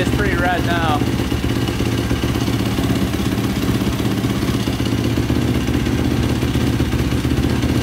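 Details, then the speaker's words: 2005 Yamaha YFZ450 ATV with a 98 mm big bore, run after rebuild and carb cleaning. Steady single-cylinder fast idle with no stumbles or clatter and no stalling. Exhaust pipe turning red, which the owner thinks is normal. Normal idle. "it's not shutting off either like i did before so that's good started to turn red a little bit but i think that's normal"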